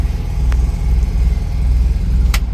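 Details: Classic Fiat 500 after new pilot/spigot bearing fixed a noise when engaging gear: steady, even low rumble with no knocks, scrapes or squeals over the idle; engine and clutch sound healthy.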